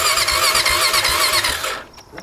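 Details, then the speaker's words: 2004 Honda Foreman Rubicon ATV that won't shift out of first: starter whirs with a labored, whiny rhythm under two seconds then drops away; sluggish crank, owner suspects battery dying. "think the battery's dying there we go"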